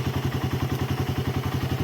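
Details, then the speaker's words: Suzuki Raider 150 carb after loss-of-compression repair (leaking intake valves, valve seals replaced, stud threads fixed), 28 mm KD round-slide carb: even quick thumping idle, no misses, no exhaust smoke; very quiet and stable. "Sobrang tahimik ng makina mga paps. Ayan naka 28 mm na na carb siya. KD na round slide. Stable na stable ang menor."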